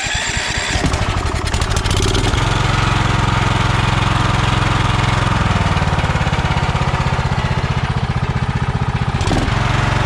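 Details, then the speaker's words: Kohler Courage 20 hp on a Craftsman DYT4000, inlet line filled with fuel down to the carburetor: loud, steady thump settles into an even idle with no stumbles or misses, a smooth runner. Smooth idle. "awesome man that's a smooth runner too"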